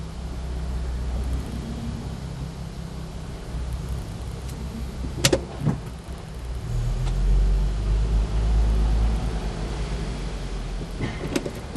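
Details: Volkswagen R32 with occasional sharp knocks and thuds over a steady low driving rumble; intermittent knocking the dealer could not fix, cause unknown.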